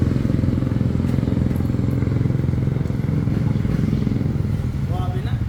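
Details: Raider 150 FI motorcycle, connecting rod failed at 1,943 km, after repair: steady, even single-cylinder beat at a relaxed idle with no knock or tapping underneath; bottom end now quiet and healthy.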